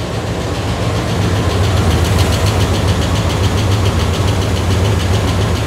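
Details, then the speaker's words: Ford Bronco prerunner, first start after the failed engine computer was replaced with a new tunable one: low, lumpy, slightly uneven idle that settles as it runs while the new computer learns. No check engine lights. "Sounds like the new computer is figuring things out. Let it run for a little bit. It's like changing the way it runs completely."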